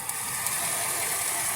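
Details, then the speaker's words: Chevrolet Caprice at warm idle around 220°F with the cooling fans not coming on: fast, light, steady ratchet-like ticking over a quiet idle; owner suspects the Optispark or wiring, cause not confirmed. "So I got some known issues here. It's got a Optispark or definitely got a tick."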